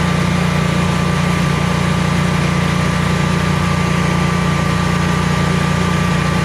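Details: Generac Guardian 16kW standby generator running on gas after refurbishment, carrying close to 6,000 W of heaters: a deep, steady drone with a faint high whine, no surging or stumbling, smooth and healthy under load and not hesitating.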